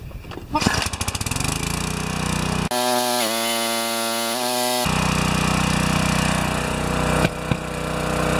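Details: Pressure washer, 4 HP vertical-shaft engine (2200 PSI, 1.9 GPM rated), replacement 2.2 GPM pump fitted, after an adjustment of about a turn; engine pulls to a steady run, dips briefly as the pump loads then settles to an even drone; running properly.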